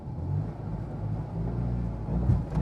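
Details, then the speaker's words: Vehicle driven after about four months, new carburetor fitted: low engine note surging and sagging under held throttle, stumbling and cutting out like with the old carburetor; owner unsure if ignition or carb. "please stop please stop this this is exactly what it did with the old carburator"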